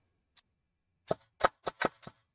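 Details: Airsoft AEG with budget brushless motor and pinion pre-shimmed, test-fired after setting motor depth: five short bursts of crisp, even gearbox cycling with no grinding or whine; pinion mesh sounds right.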